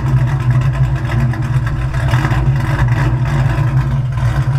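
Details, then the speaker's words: Naturally aspirated 2V V8 Mustang daily driver with EGR delete at idle: a steady, even low burble with a smooth rhythm and no knocks or misses. The owner notes it has just started making a new noise but runs great overall. "you could tell that's running great"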